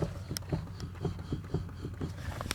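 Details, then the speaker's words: Lada Kalina with electric power steering, parked with wheel at center, wheel rocked: dull hollow knocks three to four per second from loose steering rack; also knocks slowly over rough dirt roads; not steering shaft or clamps; rack needs tightening. "значит проблема это стуки на неровные дороги особенные когда едешь по тихоньку по какой-то либо грунтовки"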